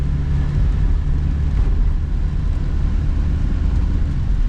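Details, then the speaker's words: 1974 AMC Hornet sedan with Ford 8.8 rear end after regear and pinion bearing replacement, cruising: only steady low road rumble, no gear whine or howl from the rear end; quiet differential. "I can't say that I hear anything that I would be terrified of yeah that I would be worried about"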